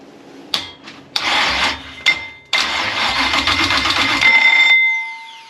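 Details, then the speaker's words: Retired Chevy V8 drag racing engine, sat about 4 years after catastrophic damage, cranked with fuel primed into carburetor: sharp loud backfire pops while cranking, then catches with a harsh rushing roar. Backfire during starting. "I don't know oh it backfires in my face"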